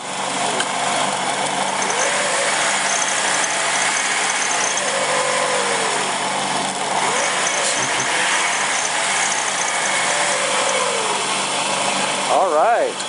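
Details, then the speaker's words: 2001 Chrysler Sebring 2.4 after head gasket and timing belt replacement, first start: steady, even idle, smooth unbroken run with no misses, knocks or ticking; gauges fine. "we'll see if it will crank over well there we go it's running sounds pretty good"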